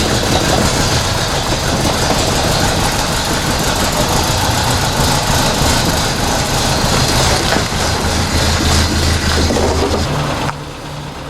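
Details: 1980 Toyota Corona Wagon, 20R 2.2 L carbureted four-cylinder, revived after years sitting with a new mechanical fuel pump, new fuel lines and fresh fuel. Loud, uneven, lumpy idle with a hissy exhaust, some smoke; cause not pinned down. Rough idle.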